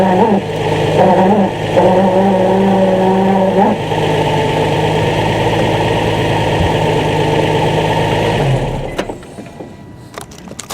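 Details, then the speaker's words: 2003 Nissan 350Z at idle: steady whirring squeal over the engine when the clutch pedal is pressed, stopping on release, louder while pulling away; owner suspects throwout bearing, cause unconfirmed. "also you will hear the squeal when I press the clutch in when I release it the clut the squeal stops"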